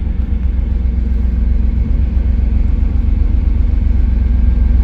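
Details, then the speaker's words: 1991 Pontiac Firebird V8 at first start just after installing a Hypertech chip, before warm-up: deep even rumble, steady pulse about four beats a second, no stumbles or misfires; healthy idle, sounds better than before. "all right so far it's connecting actually sounds way better"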